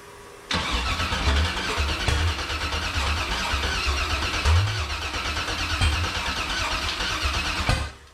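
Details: Factory Five 35 Hot Rod Truck, first start attempt after sitting dry and not running for a long while; the engine spins steadily on the starter for about seven seconds with no firing or catch, then stops. Fuel pressure holds in the high 50s.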